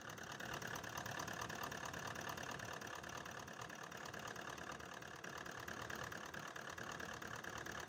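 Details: 2018 Toyota Land Cruiser pickup, 4.5 L 1VD V8 diesel, with poor pickup and knocking: rough lumpy idle with a knocking beat from one cylinder not firing; a dead injector is found by cutting out injectors one by one.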